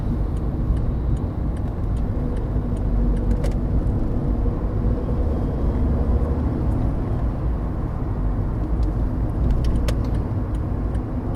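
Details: VW Polo Sedan that knocks over bumps, on smooth new asphalt: only a steady low road rumble with no knocks or rattles from the front end. The suspension and steering rack are quiet, and the owner suspects the rack rattles on rough roads.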